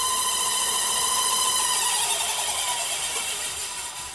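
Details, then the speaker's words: Older Rockwell drill press, powered up for the first time after restoration and rewiring. A high, ringing whine with several overtones rises at start-up, then fades within seconds; the source is unclear, and the press then runs quiet and smooth. "Fuck is that noise? Uh-oh. What's that noise? Huh. Went away."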